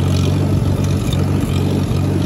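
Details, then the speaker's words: Allis-Chalmers WD-45 tractor driving uphill in third gear, labouring: steady low drone with brief dips and stumbles every half second, worse under load; sputter, owner suspects carburetor/float needs rebuild. "you notice how it's only doing it when i go up a slightly uphill in third gear because i'm kind of bogging it and working it a little bit more it's not as bad going downhill a little bit start to go uphill watch it does it again"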